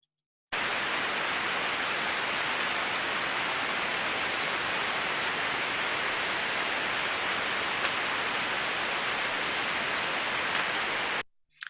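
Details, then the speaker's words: Slow-speed bearing heard via ultrasound probe, reading 0 dB baseline, like seven of eight bearings: smooth, uniform hiss with no clicks or impacts; normal bearing. "and uniform in nature and as we can see from the time series trace there no impacting sounds nothing that is our perfect case study of a good slow speed bearing"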